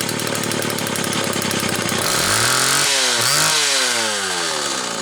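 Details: Homelite XL Automatic chainsaw after repair (fuel issue had forced full-choke running; new bar stud), cold morning, engine half warm; started in about six pulls; crisp buzz blips up and down cleanly, returns to steady running without bogging; high speed close enough; normal running.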